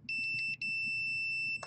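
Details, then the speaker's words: Lightning-damaged modem-router combo board: a steady meter continuity beep between two data lines, briefly broken once. It is unclear whether this continuity is normal or a surge fault. "this is where we have continuity between these two data lines and I don't know if that's supposed to be the case"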